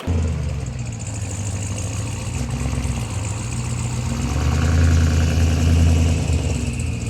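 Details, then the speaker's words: Loud, deep, hoarse exhaust drone swelling with revs, uneven; owner suspects the turbo wastegate stuck open, sounding like a blown turbo. "I think the wastegate might be stuck open now. Listen to it. The turbo just blew up. That's what it sounds like."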